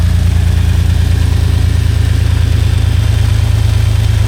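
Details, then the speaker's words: 2002 Jeep Grand Cherokee WJ, automatic transmission cooler eliminated, started after about a month sitting following crash racing; deep, steady idle with an even low thrum, no knocks, misses, ticks or blow-by, healthy. "no blow by at all despite all the abuse you [Music] know"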